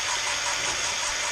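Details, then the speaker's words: Jaguar MKII engine rebuild, cylinder head valve lapping with a Gunson's Easy Lap drill tool and paste: steady gritty rasp with hollow ringing echo that later goes quiet as the valve beds in; valve not yet seated. "Hear it going, and then it gets very quiet. It loses that echo hollow sound."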